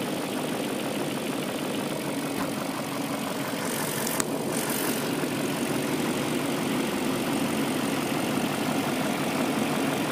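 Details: BMW M62B44TU V8 petrol engine idling right after replacing the chain tensioner with an aftermarket INA part: steady, even hum with no chain rattle, normal idle on the stock exhaust.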